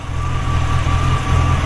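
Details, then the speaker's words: 1940 Ford Deluxe Woody Wagon: a deep, steady low rumble at about 600-700 rpm with a faint rhythmic thump from a mild cam; an even, normal idle. "Starts right up, purrs like a kid, mild cam like we talked about. Probably only idle in about 600 or 700 RPMs."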